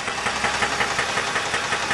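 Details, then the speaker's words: 2000 Dodge Intrepid 2.7L V6, 144,000 miles, idling: sharp steady knock about five to six beats a second; compression test done recently. "This is the 2000 Intrepid with the engine running. We fired it up. You can hear the knocking."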